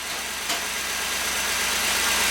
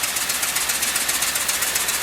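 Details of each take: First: LS-swapped engine after the misfire fix, just cranked up, before warm-up: steady, even idle with a smooth hum and plenty of fan hiss, no stumble or skipped beats; miss gone, power steering may need fluid. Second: LS-swapped V8, freshly installed, coolant not yet filled: uneven, loping idle with a regular stumble every few firings, one dead cylinder; misfire traced to low compression in that cylinder, not a broken plug or loose plug wire.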